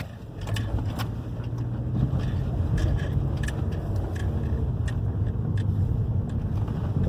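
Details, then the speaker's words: 2011 Hyundai i30 2.0 petrol road test on the same rough street after replacing both stabilizer bar links and bushings: steady tyre and road rumble with no clunks or rattles over bumps; suspension knocking gone. "Eh, já viram o comportamento do carro já mudou, ó, já parou o barulho, tá?"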